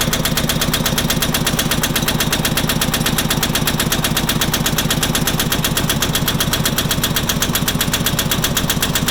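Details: Farmpro 2425 tractor diesel engine at idle knocking sharply and steadily, about four hard raps a second.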